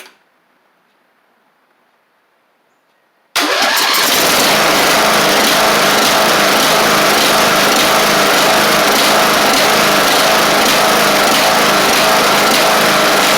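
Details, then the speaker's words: Craftsman LT1000 Briggs Intek mower with a swapped-in cheap replacement carb whose jets are too small for the Intek: after silence it fires and runs loud and ragged, unevenly. The fix planned is drilling the jet out a thousandth. "now awesome know it runs like crap I do have to drill that jet out a thousandth or so on that carb"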